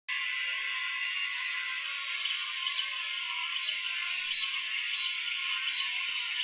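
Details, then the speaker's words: Ender 3 3D printer on stock mainboard while printing: loud, high, shifting whine and squeal from the stepper motors; later cured by upgrading to an SKR Mini E3 board with better drivers. "is what my under three originally sounded like when I first got it it had these loud whiny and pitchy sounds doing the printing and it was really annoying"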